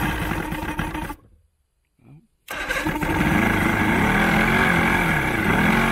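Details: Old 90hp Johnson outboard on a 1987 Crestliner aluminum boat, sat about a year with fresh plugs, primed with starting spray: cranks, catches roughly, cuts out, then fires and surges unevenly; hard starting, carbs and fuel lines to be removed and cleaned.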